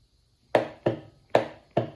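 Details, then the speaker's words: DIY small engine test stand with Walker dashboard, 12 V battery: switching to run triggers the added starter solenoid, giving four crisp, solid clicks and nothing else; the solenoid is engaging properly. "So when you go to run, it will trigger the solenoid, and now put juice to your starter."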